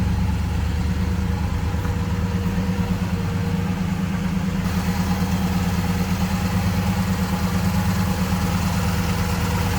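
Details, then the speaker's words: 1965 Chevrolet Impala SS convertible, 327 V8 (block suffix believed 8A), heard from behind the car: deep, even idle with a steady low burble and no ticks, knocks or misses; sounds healthy. "Alright, slip around behind so you can hear this run. Again, error correct 327. I believe 8A is the suffix code on that block. Give you an idea how it sounds."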